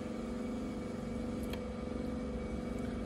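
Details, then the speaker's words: Car fuel pump run with ignition off by jumping relay socket pins 30 and 87, bypassing the relay: faint, steady low hum under quiet background noise; fuel pump and its circuit working. "and I hear the fuel pump is running right now I can hear fuel pump operation right now"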